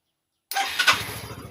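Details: Yamaha Mio 125i scooter that started but wouldn't rev, orange warning light staying on; brief starter whir, engine catches cleanly and settles into an even, steady idle pulse; normal start after relay replaced and coolant changed.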